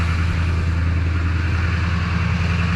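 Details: 2010 Kia Sorento V6 with a dead battery, connected to external power, high idle turned on: steady, even engine drone held well above normal idle with no dip or hunting.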